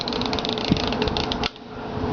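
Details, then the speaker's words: Refrigerator defrost timer being checked with a meter, motor spun by hand to bypass the 10-hour run time: quick light ratcheting ticks, then one sharper click as contacts switch from terminals 1–4 to 1–2 for defrost; normal. "now that click we just heard that turns from one to four this Arrow here just flipped down to Terminal Two so now we're connected from one to two"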